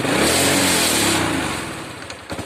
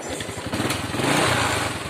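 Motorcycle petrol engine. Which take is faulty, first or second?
first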